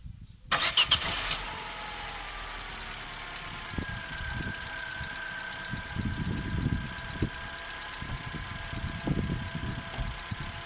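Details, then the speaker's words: Opel Corsa C 1.2 16V (55 kW) petrol, cold start before cleaning connectors: short crank catches, then rough cold idle with irregular dips; failed first try, started second; poor connector contact suspected. "you see each other, so it's me for the first time the car started and wouldn't start, in the end is a little tight, that's all."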